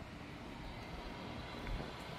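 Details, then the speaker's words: Fire pit gas burner after fixing whistle caused by a store-bought flex hose, line replaced with brass flare fittings: steady, even rushing hiss of gas with no whistle; quiet, normal flow. "and there it is quiet as a mouse so as you can see it works great"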